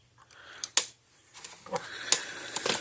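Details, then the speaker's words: Zareba 100 Mile 6J fence energizer, lightning-damaged and retrofitted with a larger heavy-duty transformer and no indicator light: sharp snapping clicks about once a second in a quiet room. After repair it tests at about 10,000 volts across the terminals; normal pulsing. "but there's no flashing light it's just a box that clicks now so you hear it clicking along like normal"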